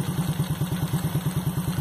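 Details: Warm motorcycle single after carburetor idle and air-fuel mixture screw adjustment: even steady putter about eight firing pulses a second, no misses or hunting; clean stable idle, carburetor regulated.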